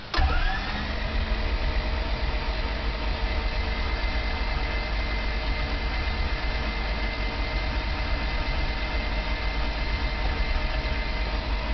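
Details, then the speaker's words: Honda Civic, cold January start after bad gas, ran fine the day before: steady, even starter churn with no firing; fails to start, owner suspects no compression when cold, cause unconfirmed. "I don't know how well you guys can hear that but there is like absolutely no compression in the motor"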